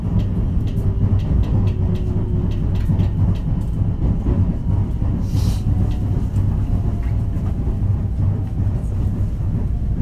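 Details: JR West 223 series set W17 at speed between Osaka and Kyoto: steady rumble with regular thud about every half second following wheel rotation; abnormal wheel flat thumping.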